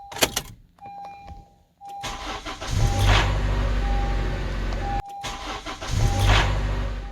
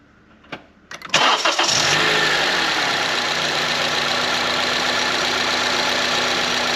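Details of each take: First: 2014 Honda CR-V with bad VTC actuator, on startup: harsh grinding rattle for a few seconds as the slack timing chain grinds over the VTC actuator, settling once oil pressure fills tensioner and actuator; chain stretched, being replaced. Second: 2014 Honda CR-V 2.4 after replacing stretched timing chain, tensioner, guides, cam gear, VTC actuator and timing cover, first start: brief crank, catches at once, even steady idle with no rattle or chain slap; healthy.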